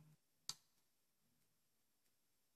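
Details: LIVOLO wireless remote for touch light switches being programmed: one sharp, crisp click in a quiet room, then a few faint ticks, a switch relay working normally.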